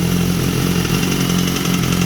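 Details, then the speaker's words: 2014 BMW S1000RR, 17,000 km; fast light metallic clatter over idle that sounds like the engine but comes from the exhaust valve, heard with exhaust blocked and released; fixed by locking the exhaust valve. "Olha o barulho no motor. Soltei. Ó. Bate como se fosse o motor, ó."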